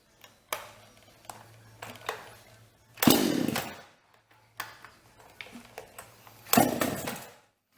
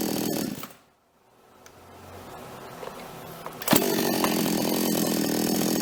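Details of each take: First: Toyama TCS46H chainsaw that starts but won't hold. It fires briefly and dies twice, then surges and cuts out, bogging when throttled. Typical fuel starvation; filter, hoses and carburetor to be checked and cleaned. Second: Toyama TCS46H chainsaw after carburetor cleaning and adjustment, bar and chain refitted (previously bogged and died when revved): quiet spell, then a strong, even high-revving two-stroke howl while cutting, no bogging; normal cutting under load.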